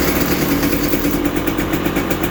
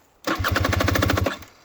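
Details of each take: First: 2020 KTM 300 XC TPI two-stroke at 279.2 hours, after repairing the broken wire, FI light off: steady even idle with smooth unbroken beat, no misfires; running normally. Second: 2020 KTM 300 XC TPI two-stroke, 279.1 hours, after a fall on the trail: about a second of fast even cranking that never fires; no start, traced to a pinched crank sensor wire giving no spark.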